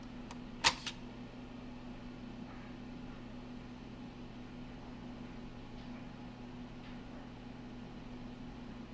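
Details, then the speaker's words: Macintosh IIsi floppy drive during restoration, blank disk inserted: quick pair of mechanical clicks as the disk is pulled in and ejected over steady fan hum; drive and eject gear working normally, not degraded. "heard it grab, but is it going to eject? Yep, it rejected it. That's good news."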